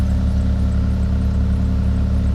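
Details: Steady low idle from an 80s Nissan Maxima with a deep, chuffing exhaust pulse louder than it should be. A broken flex pipe is suspected; its belt tensioner is also broken.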